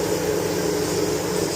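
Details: Chevy Tahoe with code P0128 and erratic coolant temperature readings, engine off: steady whooshing cooling fan roar with a faint hum that keeps running; faulty coolant temperature sensor being replaced.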